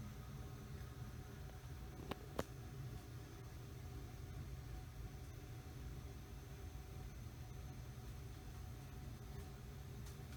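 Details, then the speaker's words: Early-to-mid-1980s Mistral "Mistralaire" ceiling fan with built-in preheat fluorescent light, coasting down after switch-off: only a soft even rush of air and faint motor hum, no grinding or ticking; bearings silent and healthy, nice long spin. "still spinning down at least the bearings are good you really can't hear them at all all you hear is the the sound of the air and a little bit of hum from the motor"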